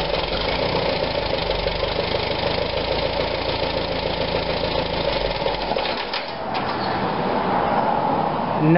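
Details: 1945 Farmall BN with Zenith carburetor, started cold in neutral before carb cleaning: loose, irregular idle beat with slight speed rise near the end. Rough cold idle; owner suspects a blocked main jet.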